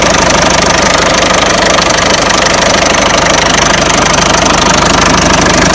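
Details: Peugeot 307 1.6 90 hp engine at idle: loud regular knock about three times a second over busy idle, unchanged; owner asks where the engine knock comes from, source unknown.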